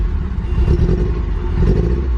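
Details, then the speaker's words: Porsche 944 that sat for years, just started: low lumpy idle around 500 rpm instead of 800–900, old fuel, weak battery, good oil pressure, check engine light on. "yeah we're idling a little low it's like 500 RPMs and it should be it 900 or 800 ."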